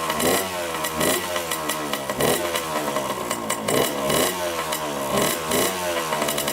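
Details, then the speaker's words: 1987 Honda CR80 two-stroke dirt bike, carb cleaned, choked first start: raspy crackle surging and sagging unevenly, never settling to idle; white smoke and milky oil, owner suspects coolant in oil and an air-fuel mixture screw needing adjustment. "right it starts up I noticed right away it doesn't idle and it's puffed now some pretty white smoke so I'm guessing that's the oil mixing with the coolant"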